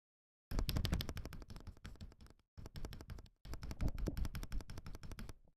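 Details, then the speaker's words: Akko ACR Pro 68 keyboard after lubing the stabilizer edges: fast key presses in three bursts, clean clacks with only very minor rattle from keycap tolerances. "You can definitely hear the difference. See, there's pretty much no rattle there. I mean, there is a little bit, but there is very minor rattle. I mean, that's just due to the tolerances of the keycap."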